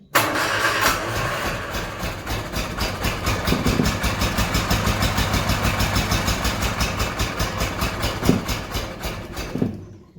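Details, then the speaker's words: Bedford CA campervan (Rambo), ignition timing being advanced during start attempts: engine runs with an uneven, lumpy beat around two pulses a second, sounding like it's firing on only about two cylinders. Cause unconfirmed. "it's running on about two cylinders with the sounds of that"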